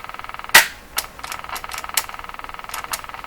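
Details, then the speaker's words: Westinghouse 535 vacuum tube radio being tested after tube checks: rapid, even ticking about ten per second with louder sharp clicks through the radio's hiss; the ticking stopped when the antenna was switched off, cause unclear. "Wow isn't that interesting I just switched off the antenna and the ticking went away"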